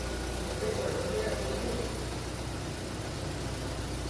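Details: 2010 VW Fox 1.0 (EA111) with a complaint of misfiring and hard starting at first cold start. In this clip the engine is running correctly: low, even idle murmur with no stumble or knock.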